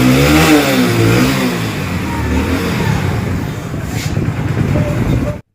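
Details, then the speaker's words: Hero HF Deluxe single-cylinder engine after timing chain replacement, plug and panels refitted: revs up and settles into a steady, even putter with no rattle or tapping, sounding like factory-new; normal running. "चलिए दोस्तों इसकी आवाज perfect complete company type आ चुकी है"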